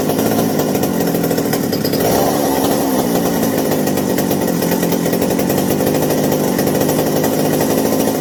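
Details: McCulloch 790 chainsaw after new 090 carburetor and replacement spark plug (previously a bad plug plus carb issue): steady high-revving two-stroke buzz, no stumbling or surging; running clean and smooth, as it should.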